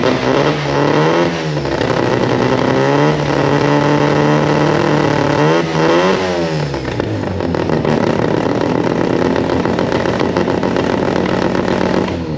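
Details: Mazda RX4 old race car with new 13B rotary, old Haltech ECU running ignition, battery only 11 volts with suspected alternator issues; revs blip and drop unevenly, wavering and stumbling, running rough; owner suspects low ECU voltage, cause unconfirmed.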